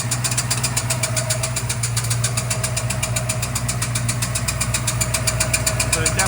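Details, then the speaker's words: 1966 Mustang with new Blueprint 347 stroker, running well on first drive: pressing the clutch brings a fast, steady metallic knocking over the idle; owner says it seems to come from the engine, cause unknown. "I pushed the clutch in and all of a sudden, well, I'll play the clip for you right now. What is this horrible noise? I can't tell where it's coming from."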